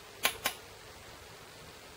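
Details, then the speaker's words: Rover Bosch VP30 diesel injection pump, fuel quantity solenoid on the pump head bench-tested with a bulb as the load. Two sharp, light clicks about a fifth of a second apart; it won't click on a fast second attempt. Slow-responding solenoid. "and strange you can repeat this quickly again you have a few seconds between each test because nothing happened otherwise you he not clicking on a fast second attempt"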